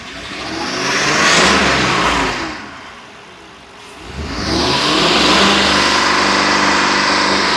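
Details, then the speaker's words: 2020 Ford F53 7.3 V8 after engine replacement for a P0304 cylinder 4 misfire: two clean rev sweeps rising and falling smoothly with no stumble, knock or rattle; engine sounds healthy. "está Se oye muy bien la verdad El motor es una belleza verdad"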